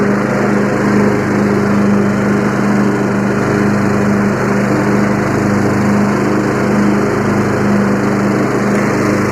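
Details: Free 20 hp Yard Machines lawn tractor with a 42-inch deck, starter issue bypassed by applying the battery directly; with the blades engaged it gives a loud, steady drone and an even deck hum, with no knocks or wobble.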